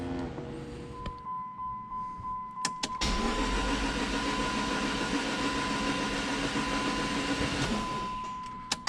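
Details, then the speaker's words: Dodge Neon SRT4 first start prep: cranked with relay out, spark plugs out and coil pack disconnected to build oil pressure; quick even starter churn with no firing. "I do have the relay out the spark plugs out and also I disconnected the coil pack so let's go ahead turn this off and do it"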